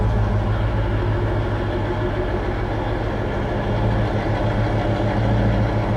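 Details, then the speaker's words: Freshly restored 1966 Ford Mustang convertible with an electronic-choke carburetor, no aggressive exhaust mod, idling through its original-style exhaust tips: a deep, even, throaty rumble with no knocks or misfires. Normal idle, not loud once cruising. "it might sound a little bit noisy in the video or aggressive in the video but it really isn't once you get cruising it sounds good um it doesn't sound loud at all but it does sound kind of throaty just sitting there through those original Style exhaust tips"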